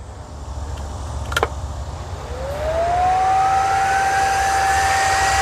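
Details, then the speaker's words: GX CS3 high-pressure compressor after O-ring repair (four O-rings replaced), deadhead set at 4500 PSI: cooling fans switch on, whir rising in pitch over a low hum and settling to a steady even tone; fans working properly. "Fans came on. We got that part good."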